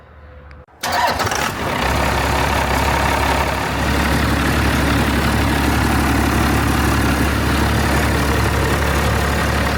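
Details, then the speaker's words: Diesel truck with a budget compound twin-turbo kit built from shop parts, first start after install with the downpipe on and the exhaust unfinished. Short crank, then an even, steady idle with no misses or knocks. No leaks, and the engine is quieter with two turbos. "All right, so it doesn't look like we have any leaks. You can definitely tell the engine's quieter with 2 turbos on it though."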